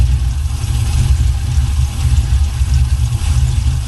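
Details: 1979 Buick Regal with a swapped LS 6.0 V8 and new exhaust: loud, deep idle with choppy loping pulse rising and falling unevenly, healthy big-cam V8 settling at idle.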